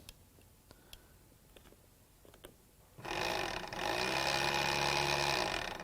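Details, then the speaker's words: Spare returned motor, believed to be the same as the one in a 300,000-mile Silverado, bench-powered by a probe: it turns over with a harsh, gravelly, uneven drone and sounds bad; the truck's own motor is in worse shape. "that one does turn over it doesn't sound good though that sounds pretty bad if you ask me"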